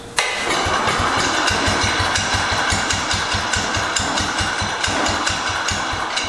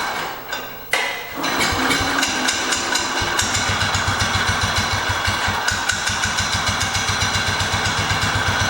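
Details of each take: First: 1968 Cub Cadet 122 with 12 hp Kohler, warmed up, carb adjusted, air filter refitted, running unchoked after old gas burned out: single-cylinder catches and settles into steady even idle with regular beat, no misses or knocks. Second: 1968 Cub Cadet 122 with a 12 hp single-cylinder Kohler, taken out for a drive: uneven, lumpy thumping at about three to four beats a second, sounding like it is about to die. The owner suspects the fuel system; cause not confirmed.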